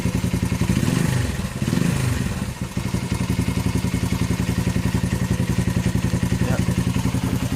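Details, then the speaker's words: 41-year-old imported Honda XL125S single-cylinder idling just after its cleaned, black-painted exhaust was refitted; steady thump about three and a half pulses a second, crisp exhaust note, no knocks. "Right, it's on there now. Sounds okay to me."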